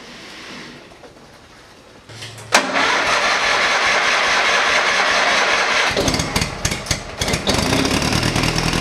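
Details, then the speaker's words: Small Ford lawn tractor after replacing a deteriorated fuel line and inline fuel filter and adding fresh gas: brief crank, then catches at once and settles into a steady, even run with no missing; normal start and idle. "okay that is fixed let's toss some fresh gas in this thing and see if it'll fire up"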